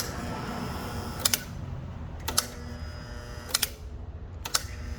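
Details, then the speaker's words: Overhead Door RSX ¾HP single-phase 120VAC commercial door operator with brake, oil on the capacitor: brake/relay clicks then a steady low hum as the motor fails to lift and runs warm, from a blown capacitor. "Yeah, so now it's throwing a fit. That's what's going to happen. And if I feel this motor is quite warm. So this is a blown capacitor."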